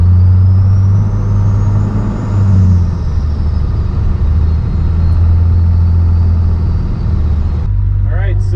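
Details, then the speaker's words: 12-valve Cummins diesel truck with compound turbos, warmed up, after sealing boost leaks: deep steady drone pulling evenly through the gears, first-gear takeoff at about five pounds boost, faint turbo whistle, no escaping-air hiss; running healthy. "uh the truck is feeling really nice so just taking off first gear five pounds just like that"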